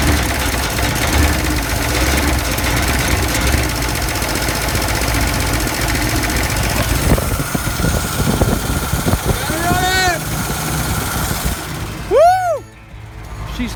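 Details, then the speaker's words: Toyota Land Cruiser FJ60 barn find, cold weather, after new carburetor and fuel pump, burning off Sea Foam and smoking: catches and settles into a lumpy, uneven idle with surging and misses; rough running after start, cause not pinned down. "Just like that, she's running. She's burning off the sea foam that we put in the motor, trying to clear her out. She actually sounds pretty good though."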